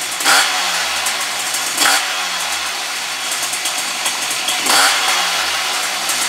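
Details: Puch Maxi E50 moped after engine overhaul with Polini kit and new ignition, first start during break-in, assembly oil burning off the piston: raspy two-stroke blips up crisply and drops back cleanly, more responsive. Normal running.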